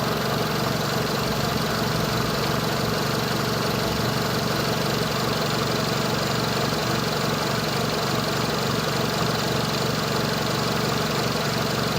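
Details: Renault Megane 2 1.6 16v petrol idling with the car shaking: the beat stumbles intermittently like a cylinder missing, yet the Delphi DS150 finds no OBD errors.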